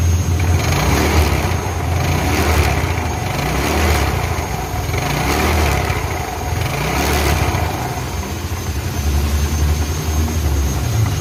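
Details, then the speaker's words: Yamaha Mio Sporty scooter idling with a rough, uneven "tek tek" rattle from the CVT; the likely cause is long-term wear of the pulley, clutch linings or rollers. "Oke, kali ini kita punya Mio, yang mengeluarkan suara berderak, suara berisik."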